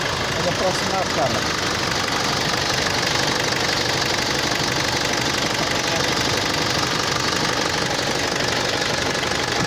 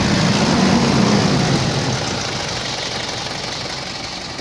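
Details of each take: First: Mitsubishi L200 Triton diesel idling with a hard sharp knock about three times a second, sounding like an injector fault; idle rail pressure far too high, about 1,200 bar (116–117 MPa) vs 250–400 normal; injection module problem. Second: Mitsubishi L200 Triton common-rail diesel after fixing a faulty injection module: idles with a steady, even beat and no sharp knocking. Before the fix it knocked heavily with very high idle fuel pressure.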